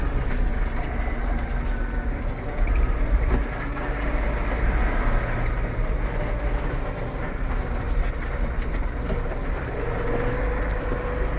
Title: MF4708M SMS Geraeusch Getriebe 2 Gearbox Noise Problem Massey Ferguson 4708 4700